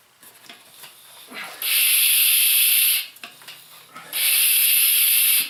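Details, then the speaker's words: Mityvac fluid evacuator changing oil on a Cabela's Outdoorsman 3800/4750-watt generator: two long airy hissing slurps with quiet gaps as the tube sucks air at the sump bottom; sump essentially empty. "And you hear it start sucking the bottom. And I have tested this out. I have taken drain plugs off even after I've done this."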